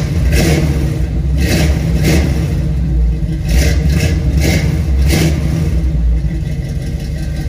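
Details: Squarebody Chevy C20 V8 just fitted with a different carburetor and new welded exhaust with tacked-on tips and rubberized hangers, first start after the work: several clean throttle blips then a smooth, even rumble, no stumble or backfire; normal running.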